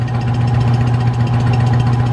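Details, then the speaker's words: Rebuilt mid-1940s Surge milking vacuum pump, new electric motor, fresh oil, belt tension checked, first run: steady even thump at constant low pitch with smooth hum, no knocks or rattles; building vacuum, healthy. "it's been running for a little while seems to be running well sounds good"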